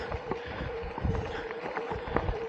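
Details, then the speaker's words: Canyon Torque ON e-bike after a derailleur adjustment and chain lube: light steady mid-pitch drive motor hum while pedalling on trail, only bumps and wind around it, and the earlier grinding noise is gone; normal drive motor hum. "you know but that grinding noise is gone of course you can hear it's just little bit of motor noise that was a pedal but"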